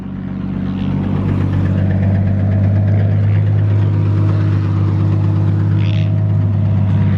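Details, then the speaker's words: Toyota 1JZ engine after a drive, coolant around 208 and heavy smoke: deep rough idle with a dull, steady knock about four times a second from the bottom end; rod knock. "No, it sounds like the engine, dude. You hear that, right? Rod knock!"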